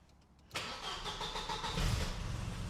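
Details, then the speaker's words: Engine with '8-valve noises' (head gasket previously an issue, now running fantastic): quick clean crank and catch, then a settled, even idle with no misses, rattles or ticks. A healthy start and idle. "Oh, power. Oh, that sounds absolutely lovely. As you can see, it runs perfectly fine."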